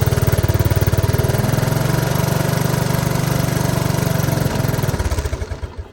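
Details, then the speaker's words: 1983 Honda ATC 185S single-cylinder during carburetor screw adjustment out: uneven thump for about five seconds, then sags and dies; owner says it keeps running out of gas, lean mixture suspected, not confirmed. "so adjust it out a little bit more yeah it just keeps running out of gas"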